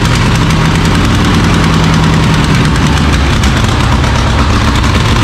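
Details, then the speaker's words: Carbureted skid loader engine, sat 8 months, half bottle of Seafoam added: loud uneven low rumble with lumpy stumbling beat; owner suspects sucking air, sticking float or water in carburetor, fuel-related. "Like I said, it could be sucking air. It acts like it's running Richard Gates."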